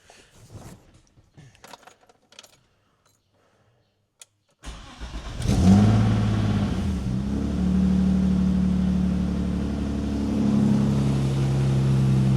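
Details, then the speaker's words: BMW E30 with a swapped S50 3.0 L engine (E36 M3), running without oxygen sensors and with a downstream exhaust leak: quick crank, short rev, then a smooth steady idle with no misfire. Normal start and idle. "So as you can see, it fires right up. Idles nicely. No misfire, nothing like that."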